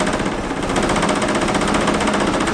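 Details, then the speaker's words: Mercedes 190E EVO 2 on cold start, owner suspects old gas: loud, choppy, uneven idle with shaking chatter and heavy vibration, won't idle until warmed up and near stalling. "it hasn't been wanting to idle until it kind of like warms up a little bit so you'll hear it in a second is probably gonna die in a little bit but made this really loud annoying noise man it's vibrating"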